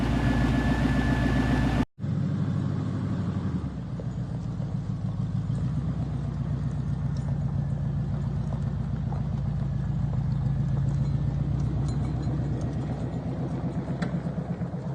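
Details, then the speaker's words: 1990 Chevy K1500 4x4, Vortec 350 small block V8, sat 5 years, new stainless headers fitted but exhaust unconnected: deep, loud raw uneven rumble at idle, no muffling; open header straight-pipe exhaust. "So we're going to see what it sounds like with straight pipes."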